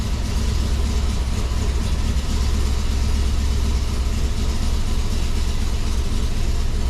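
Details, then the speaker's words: 5.3 V8 with DOD/VVT delete and new intake, idling after flashing a tune: rough lumpy uneven beat, still misfiring, 267 misfires counted; not misfiring before the flash, owner suspects the tune, looks like a wicked cam now. "All right, let's try again. Still misfiring on those cylinders, but I have a feeling that has more to do with the tune."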